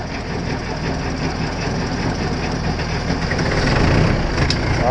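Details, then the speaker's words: John Deere 410 backhoe diesel just started in cold weather after fuel filter replacement, ice found in the bowl: surges and stumbles in an irregular jumping beat; air still trapped in the fuel line. "You hear that jumping? That's a pretty good indication that we didn't quite get all the fuel out. I mean, all the air out of the fuel line."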